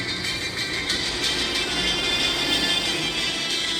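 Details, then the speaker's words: Samsung A50 phone loudspeaker after fixing buzzing by insulating the speaker with insulating tape and refitting it in the housing; music plays clear and steady at full volume, no vibration or distortion — clean speaker playback. "você vai ver que não vai ficar vibrando mais não vai ficar estourado o som e o som não fica baixo ó tá"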